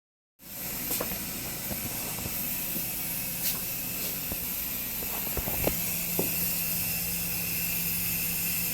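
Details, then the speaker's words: Failed gas water heater with hot water leaking out, gas and water shut off: a steady, even hiss inside the tank with faint scattered ticks and no burner roar; tank leak. "If you put your ear up to this, I don't know if this can hear it or not, but it's really making some kind of hissing sound inside of it."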